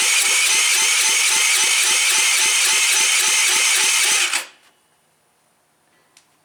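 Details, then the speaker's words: Taotao engine being revived after confirming spark, no muffler fitted: loud starter whir with steady plops about four a second while cranking, engine not catching; exhaust popping from the open exhaust. "So far, I don't have the muffler on it, so if it does start, it's going to be loud. That's what that plop plop plop noise is."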